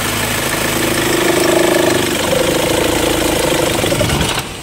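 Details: Mahindra XUV500 diesel idling with AC on: a wavering mid-pitched squeal rides over the clatter for a few seconds from a worn drive belt and tensioner; the fix was replacing both the belt and the tensioner.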